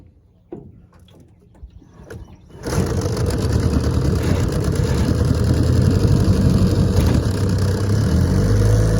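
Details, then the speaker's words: 1968 Evinrude 9.5 hp outboard, previously test-run, on the lake: after a few pulls the two-stroke catches and settles into a steady, even buzz that picks up smoothly. Normal running. "I've been running her she runs great let's give her a pull and see if she'll get started and take off for us"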